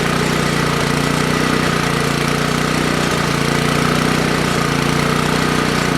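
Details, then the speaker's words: Toro Power Clear 621E snowblower with 163cc OHV four-stroke, after its completely clogged main jet was cleaned: runs steadily at a fast idle with a faint uneven beat, still a bit rough. Running with a dirty carburettor that needs a proper clean. "yeah runs card needs to be clean definitely"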